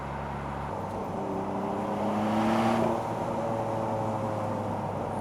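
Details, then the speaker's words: 1995 Mitsubishi 3000GT VR-4 Spyder, about 13,110 miles, sport mode, pulling in fourth gear on the highway: a clean whistle climbs with the revs over engine and road hum, the turbos spooling and boosting normally. "Turbo does what it's supposed to do."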